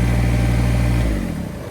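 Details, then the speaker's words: Kubota BX1850 diesel tractor, bought 2008, which previously would not turn off, after replacing ignition switch, battery and terminals: even chug winds down and stops cleanly about a second after key-off. Normal shutdown. "Look at that. It actually died."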